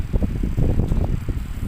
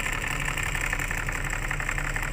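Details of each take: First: Rear AC blower of a Starex/Mitsubishi L300 after its dried-out bearing holes were greased: a soft, low whoosh of air at middle speed, with no squeal or rattle, now quiet instead of noisy. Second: Rear AC blower of a Starex/L300-type van, engine running: loud, rough whirring rattle that comes and goes and worsens as it runs, from a noisy blower motor with dry bearings, low engine hum beneath.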